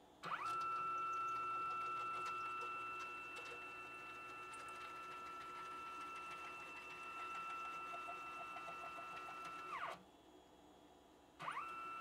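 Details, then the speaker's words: Used K2CNC router assembled by its previous owner, Y-axis gantry jogged back and forth on 10 TPI ball screws: steady stepper whine with a rough grinding rattle that has been worsening. The owner suspects bad ball screw bearings. "so something in the bearings i suspect are the problem it makes a bad racket when i try to move it back and forth"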